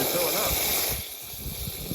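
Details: 1974 International Harvester pickup, filling the radiator with water: loud steady hiss with gurgling that eases after a second; owner unsure whether coolant is foaming badly or leaking. Coolant hissing, cause unclear.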